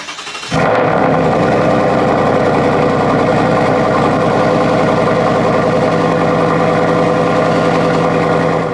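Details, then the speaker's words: Cold start of the Mitsubishi Eclipse project car, which sits outside and has had two oil changes with clean, non-metallic oil: the engine catches within a second and settles into a steady, even fast idle with no knocks or misses. A healthy cold start. "So, I figured I would save the cold start for you guys since I hear it all the time, but it never really gets old. So, let's get us a little cold start."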